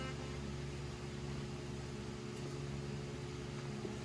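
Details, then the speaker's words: 1977 Ford F150 4x4 with a V8 taken from an RV, 77,000 miles, first start after restoration: smooth, even idle with a steady low rumble, no knocks, misses or smoke. Engine sounds healthy. "Well, she is alive and she sounds healthy. She wasn't smoking. I think this is a really good engine."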